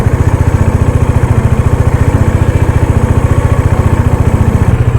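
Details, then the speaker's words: Dominar motorcycle, cold start after sitting unused for 4-5 days, fitted with a KTM gear lever assembly: a steady, deep chuff around three and a half beats a second at idle, no misses or knocks. No need to rev it; it settles once warm. Normal cold idle. "വേണം 4-5 ദിവസമായി വണ്ടി എടുത്തിട്ട് rice ചെയ്യേണ്ട ആവശ്യമില്ല. വണ്ടി normally വാമാകുമ്പോൾ correct വോളിയത്തിലോട്ട് വന്നോളൂ."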